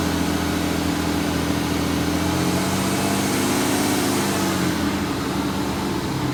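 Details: BMW 730d F01, N57D30 245hp, 320,000 km, with new injectors, chains, water pump, EGR and other parts: at held revs, a faint, uneven tapping of about three per second over the diesel clatter, said to get louder under load; source not found.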